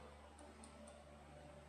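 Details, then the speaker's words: 2004–2005 Kawasaki ZX-10R that stopped starting, new clutch fitted by previous owner: key on, pump primes, then faint light ticks about four a second over low hum as the starter relay clicks but the engine never cranks. "the started relay trying to work but it's not really working so uh that's the first thing we're going to die no right there"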